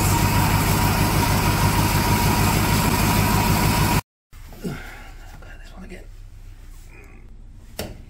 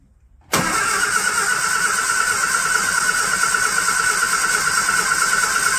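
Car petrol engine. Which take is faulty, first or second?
second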